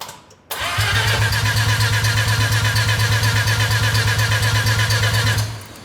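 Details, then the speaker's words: Mazda RX-7 with engine just reinstalled, air filter off: starter turns engine in even pulses about three a second for five seconds, never catching; flooding or no fuel suspected, not confirmed. "doesn't count sounds like a fuel pump Prime if it's flooded it's not gonna start or if it's not getting fuel it's not going to start"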